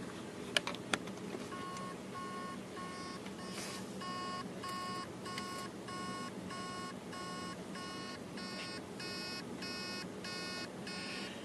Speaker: can hear the beeping noise that's basically the mortar is trying to start the platters and it can't and it's most likely because the heads are stuck on a platter